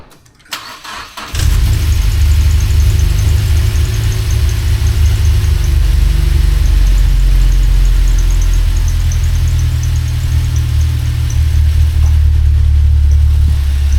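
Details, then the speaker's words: Mazda NC Miata after another shop's 2.5 engine swap, cam engine, first run before fixes: catches and settles into a lumpy idle rougher than expected, with a faint chirping squeak on top; cause not yet found. "So, you'll notice there's a squeaky noise happening. We need to figure out what that squeaky noise is. It's not supposed to be doing that. And it sounds like it's running a little rough."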